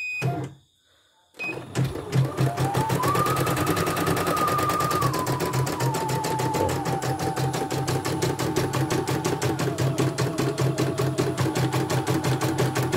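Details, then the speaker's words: CNY E900 embroidery machine with heavy rotation and a hissing noise, after replacing the motor and testing the sensor: after a brief pause, a crisp, even stitch rhythm with a smooth motor tone and no skipped stitches or grinding. "bagus, nggak ada loncatannya."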